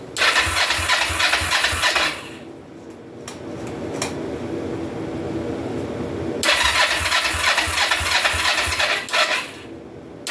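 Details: 2004 Kawasaki Vulcan 500 stored two or three years, on choke after waiting for fuel, some dash plugs unhooked: two long bursts of steady cranking about three turns a second, no catch; no start from fuel starvation, float bowls not getting gas.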